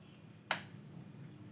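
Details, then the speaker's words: Honda Scoopy scooter whose ACG starter does not work: one sharp click on pressing start, then silence with no cranking; weak battery, battery voltage to be checked with a meter first. "itu teman-teman ya, ACG starternya tidak fungsi. Oke, apa langkah awal ketika motor kita terjadi hal yang seperti ini? Langkah awal kita cek terlebih dahulu arus tegangan aki ya teman-teman ya."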